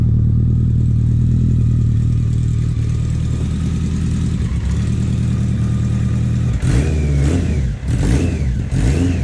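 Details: BMW K100 four-cylinder café racer build, just started for the first time after the wiring fix: steady, even idle, then sharp clean throttle blips that rise and fall smoothly. Runs healthy with no knocks or misses.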